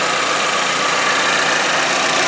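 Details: 2013 Chevy Equinox 2.4L four-cylinder idling after a PCV upgrade (PCV valve on modified cap, line to manifold) against clogged-PCV rear main seal failure: steady, even hum with no misses, knocks or ticks; normal, very smooth idle.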